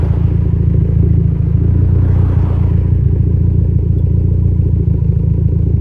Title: Less idle misfire